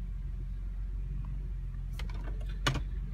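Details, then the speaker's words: 2007 Honda Accord V6, morning start after replacing the power steering return line O-ring that let air into the pump: quiet steady engine hum while turning the wheel, no pump groan or whine; steering normal. "Tôi mới khởi động xe (sáng hôm sau) và không còn tiếng ồn nữa! nó chỉ là tiếng động cơ kêu vo vo thôi"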